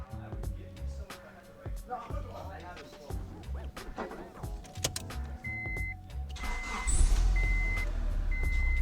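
Warning chimes, then a short crank before the engine catches and settles into a steady run: it starts cleanly.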